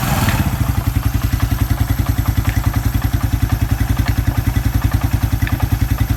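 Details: Suzuki Quad Runner 250 single-cylinder idling under restoration, exhaust refitted back to spec: even, smooth thump around 160 pulses a minute, no knocks or rattles; normal idle.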